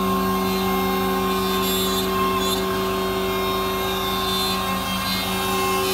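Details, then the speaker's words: MultiCam 3-204 CNC router cutting at 225 in/min with a small tool, 5.5HP Colombo spindle at 16,000 rpm, 10HP vacuum pump humming behind; steady high spindle whine holding even under the cut; runs smoothly. "as you can see even with a small tool and an intricate design the machine is still very efficient very fast"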